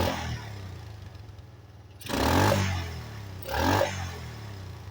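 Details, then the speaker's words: 1985 Yamaha Moto 4 on its old carburetor, warmed up and on choke: weak, uneven idle with two sudden surges and sags, trying to die; acts up once warm, old carburetor blamed and to be replaced. "actually happens is you let it warm up for a little bit, and then it'll start acting up. Just trust me. It might sound like it's running right now, but it's not."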